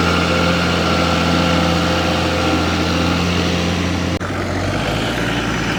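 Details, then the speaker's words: Diesel engine from a 1984 60 series, just under 900,000 original km, never opened, aftermarket turbo: deep steady idle with faint even whistle off the turbo; normal idle with turbo whistle. "he sounds good too nice whistle to her straight off the turbo"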